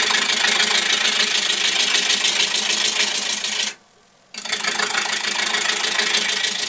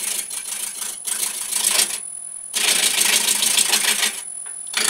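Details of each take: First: Woodturning square blank between centres with a gouge, nearly round: sound changes from clunking corners to a steady, fairly high-pitched hiss, briefly stopping once; smooth continuous cut on a now-round blank. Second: Woodturning a square blank between centres into a round one: bursts of rattly, hissing cutting noise with a fast chatter. The intermittent cut is the out-of-round corners hitting the tool, and the clunk turns to a high hiss once it is round.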